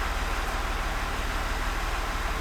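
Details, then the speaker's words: Range Rover L405 3.0 TDV6 diesel after home engine rebuild for a knock, first start in final condition: even, steady low rumble at idle with no knocks, ticks or rattles; smooth, healthy engine. "Sounds so nice. Oh my god. Wow. This is amazing."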